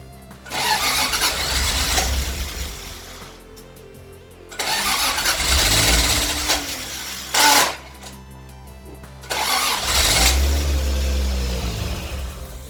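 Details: 1977 Toyota Celica RA28 with turbocharged 1G-GTE, first start after 2.5-year build: three start attempts each crank, catch briefly and fade out. Intercooler piping disconnected, so the airflow-meter-controlled engine gets all its fuel but no air and dies.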